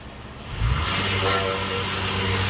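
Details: 2005 Honda Odyssey on jack stands, in gear, power braking under load: steady low buzz beneath exhaust, only in gear; catalytic converter vibration, cured by clamps around each end of the cat.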